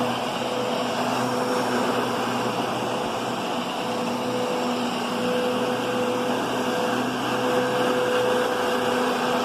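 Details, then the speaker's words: Kenmore Progressive upright vacuum with a new bag, set low on carpet: steady motor hum and soft brushing rush, large brush roll making good contact, no rattles or grinding; normal. "You can hear that brush roll. It's making contact. It's not like a Kirby brush roll where it's just kind of skimming the top, and you're either plowing it in too much or just not hitting it."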